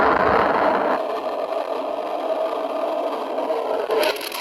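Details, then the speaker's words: Pool with a cracked skimmer body and a broken skimmer line; a microphone dropped into the skimmer picks up a constant rushing hiss and low rumble as water escapes through the break in the pipe; pipe leak. "You can really hear that water rumbling through that brake in the pipe."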